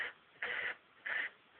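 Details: Xbox 360 disc drive making a short buzzy rasp about every half second; discs not damaged but console won't play games anymore; abnormal noise, cause unclear.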